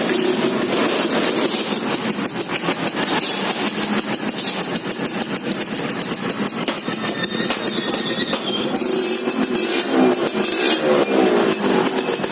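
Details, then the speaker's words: Motorcycle small single after tune-up with transfer port and reed valve membrane setting and internal cleaning, restored and repainted: revs and settles into quick even patter, no knocks or rattles; smooth normal idle. "Update lagi sore-sore, motor udah hidup, udah bagus, suaranya halus banget."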